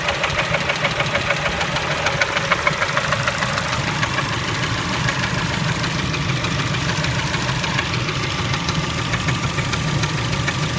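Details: Engine knock at idle on a Kia Spectra: fast, light metallic knocking around three per second riding on a steady idle; source not pinned down.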